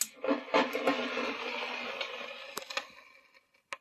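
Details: 1996 Peavey 5150 2x12 tube combo amp on standby switching: staticky popping, then on switch-off a hissing surge swells and washes away like crashing waves.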